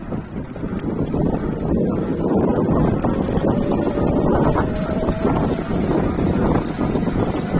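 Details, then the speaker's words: Electric bike geared hub motor with metal gears at full throttle: steady whirring hum under wind noise, faint gear tone, possible mudguard rubbing noise; sounds normal. New metal gears may be slightly noisier than plastic at first. "so that sounds quite normal quite usual nothing different"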